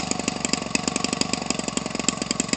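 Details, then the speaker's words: Homelite 25cc converted for RC use, nearly new (about 20 ounces of fuel run through it), swinging an 18.6 propeller. Crisp, steady popping at roughly twelve beats a second, even in rhythm and loudness with no misses: a normal idle. "The hand start so easy, it'll idle forever."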